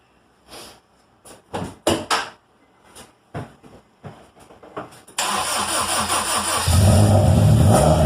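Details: Honda D17 EM2 engine with 315k miles that had been burning oil, at its first start after an in-car rebuild with new rings and ARP rod bolts: the starter cranks in short bursts, then it catches and revs cleanly. It runs strong and smooth with no smoke.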